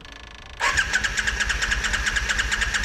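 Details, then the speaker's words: 1987 Yamaha Virago 535 that sat a long time, with fuel added and cranked on a jump box: even cranking about two turns a second but no fire; owner suspects no spark from a bad CDI box. "Sit you right there for a minute. That thing didn't get no fire, did it?"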